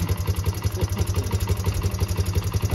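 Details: Yamaha Breeze 125 quad with fairings refitted, after replacing a frayed, broken throttle cable that had kept idle stuck high: a quick, regular popping exhaust beat at a steady fast idle, even and unbroken; healthy idle.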